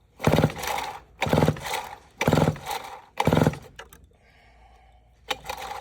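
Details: Vintage Homelite 7-19 chainsaw (late 1950s–early 1960s) with some spark, cleaned air filter and parts cleaner sprayed in: harsh pull-cord bursts about once a second, never fires. Cranks but won't start; compression only about 60–70 psi, owner suspects stuck rings.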